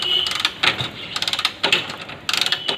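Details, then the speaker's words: Hero Splendor, key on, kick attempts: rapid ratcheting clicks in bursts, engine not starting as the kick lever keeps slipping; owner says check a simple fix before replacing clutch plates. "இப்போ வண்டி ஸ்டார்ட்டே ஆகலை, ஏன் kicker வழிக்கினே இருக்குது."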